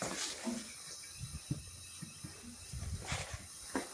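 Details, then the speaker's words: Old Jeep F134 engine that started rod rattling, leak-down test with carburetor and oil pan off: steady airy hiss, compression escaping past piston rings. "I'm going to say yeah that's definitely where we're heing Escape is past the Rings"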